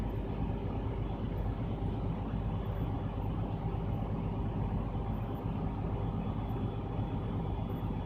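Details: Truck during air brake test: low, even diesel idle holds steady while the compressor builds air pressure, warning going off at 80 PSI, the last 30 PSI build taking 34 seconds; engine and brake air system working normally.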